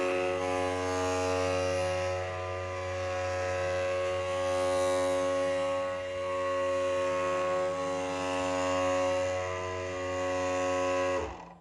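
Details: Early Matterport Pro3 camera, with a suspected VDrive (lidar mirror motor) fault making it noisier than normal: a steady, buzzy motor whine with a strong, even tone that cuts off abruptly.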